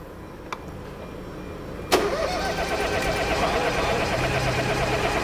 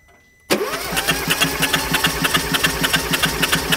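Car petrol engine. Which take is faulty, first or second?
first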